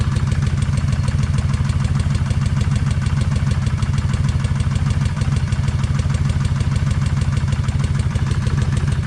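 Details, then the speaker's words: Kawasaki Vulcan 1600 V-twin idling after an 8.2-mile ride with a steady light tick on every beat, audible even through a helmet; owner suspects lifters not yet quieted; ticking at idle. "yep they still got that tap but I don't think it's quiet it's trying to quiet off"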